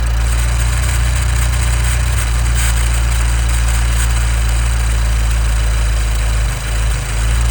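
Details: 2015 Nissan Juke Nismo RS, 112,000 miles: steady idle with a faint, even fizzy rattle on top, like a vacuum leak though everything is bolted down and it drives well; timing chain suspected, unconfirmed.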